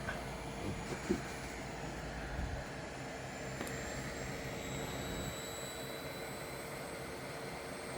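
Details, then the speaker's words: Pentium 4 3.2 GHz PC with EZCOOL 400W ATX-400 power supply, drawing about 116 W: thin high whistle drifting in pitch over background hiss, coming from the failing power supply. "don't know if you can hear that yeah you hear the Whistling noise it's like it's about to"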